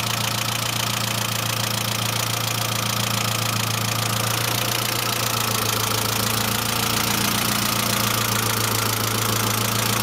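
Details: Saab C900 after engine/head rebuild, steady idle: fast, even light tick about three or four per second, valve train lifter tick; no leaks, pressure lamp off; owner now suspects oil pressure relief valve not vigorously cleaned; return line leak apparently ruled out.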